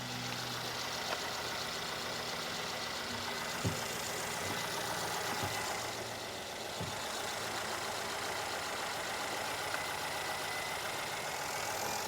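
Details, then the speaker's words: Mercedes GLS 450 with M276 engine, first start on a jump after camshaft and cam phaser replacement: steady, even idle with a soft, smooth hum and no ticking, knocking or misses; normal idle. "Come on. Okay, it's running. Sounds good. Let me rev it up a little."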